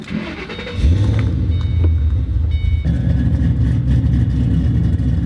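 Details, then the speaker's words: 2008 Ford Mustang Bullitt V8, 60,000 miles, hood the only modification: starter catches and it settles into a deep, lumpy, even burble with no knocks or ticks; healthy start-up and idle. "nothing beats that sound of a ford v8 you don't have to go anywhere i could just sit here all day and listen to it why waste your money on the radio it's got its own sound system"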